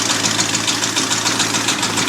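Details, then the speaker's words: Abandoned 1989 Ford F250 5.8L V8 started on a new battery after fuel injector wire repair, never revved: sharp, regular knocking about four to five per second over a steady idle; a loud internal knock, cause unknown. "But that's a loud knock. Never revved it up."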